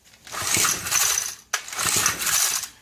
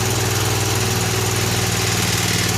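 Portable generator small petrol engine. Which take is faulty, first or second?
first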